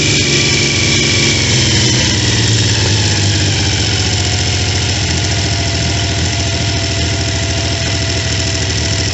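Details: Triumph T150V triple after heads and cylinders were removed to fix numerous oil leaks, started on second kick (first kicked back), phone moved around; steady even idle, smooth firing, no knocks or rattles; normal idle and revving.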